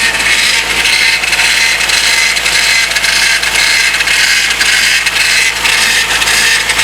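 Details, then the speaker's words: Rebuilt 2001 Honda CR-V, front wheels off the ground, right after fitting the power steering belt and turning to lock: steady hissing whir with a faint high tone; fluid level dropped, noise suspected from running low. "And I did just put that belt on the power steering, so who knows what's going to happen. Sounds like it's making a noise already."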